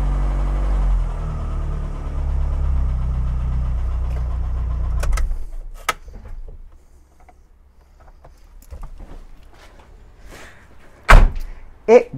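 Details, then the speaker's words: 1991 Rover Metro after new HT leads and ignition coil fixed misfiring and stalling below about 2000 rpm, started cold on choke: steady, even fast idle with no stumble or missing beats; normal fast idle. "The engine, of course, is cold, and so we'll need choke, but it's revving smoothly, no more misfiring."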